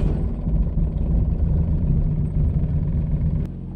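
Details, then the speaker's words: Air-cooled Volkswagen Beetle show car restarted with a jumper wire after stalling on its first road test: steady, low, even rumble with no stumbles or misses. The flat-four is running smoothly. "Must have been the issue. Seems to be running pretty good now."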